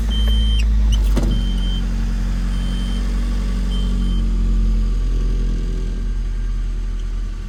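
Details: Nissan Frontier idling with air conditioning on after alternator belt replacement to cure a startup squeak: even low engine hum under AC load, no squeal or chirp from the belt; sounds healthy.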